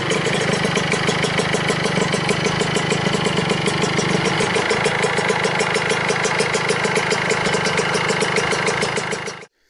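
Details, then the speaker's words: Vespa Piaggio Ciao 65cc two-stroke moped, first start after a year, engine and exhaust reinstalled: crisp, even buzz with quick steady ticking beat, no hesitation until shut off; no big fuel or exhaust leaks. "so finally after a very long time the ciao is running again the engine is in there from what i can see there is no really big leaks no fuel leaks and no exhaust leaks"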